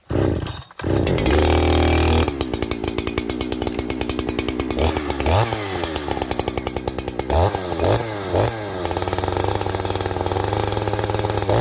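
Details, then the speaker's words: Farmertec 288 kit chainsaw with OEM oil pump fitted: fires, settles, then crisp throttle blips with quick clean pickup and an even buzz between them; starts, idles and tunes like an OEM saw, running healthy. "Okay, friends, well, the good thing is this thing runs perfectly. Runs like an OEM saw to me. It starts, it idles, it tunes."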